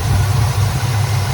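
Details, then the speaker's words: 1985 GM square body truck, sat 10+ years, choke propped open, idle mixture being tuned by vacuum gauge: low idle with slight rhythmic sag and hunt, sounds a little lean, backfires a bit on throttle; uneven idle. "it's a little bit lean I can hear it already uh when he presses the gas the owner presses the gas it it uh backfires a bit"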